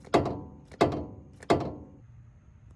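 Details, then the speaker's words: 2001 Toyota Tacoma inner tie rod, outer tie rod removed and worked by hand: three dull, loose knocks, loose as a noodle with no grease; an aftermarket part being replaced. A badly worn inner tie rod. "here's the inner and as you can see it's got clunking and it's as loose as a noodle"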